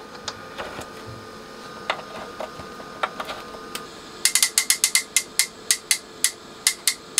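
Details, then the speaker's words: Denafrips Athena audiophile preamp after repair: crisp, bright relay clicks, scattered at first, then a quick even run of about a dozen; inputs all working. Normal relay switching. "oh listen to that that's really nice clicking"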